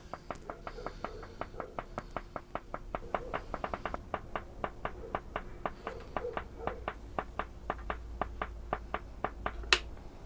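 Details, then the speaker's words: Philips-made Briton valve radio powered through a dim bulb: sharp evenly spaced clicks about three a second over quiet hum, the dim bulb pulsing with them; intermittent clicking, owner suspects the B+ line or filter caps, not confirmed. "but it does worry me that the dim bulb pulses with that clicking that I was hearing. So that suggests something on the B plus line, which I haven't been anywhere near here."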